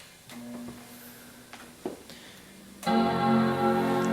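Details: eMac after replacing clock battery (half-AA 3.6 V lithium): a few quiet clicks and taps, then one rich sustained chord rings cleanly; normal power-on startup chime.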